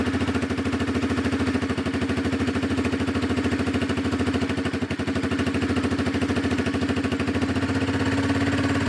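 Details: Four-wheeler ATV single-cylinder engine after new ignition coil and fuel filter, started with starter fluid after sitting; steady thumping around three beats a second, even, no knocks or stumbles; running okay, carburetor adjustment possibly needed.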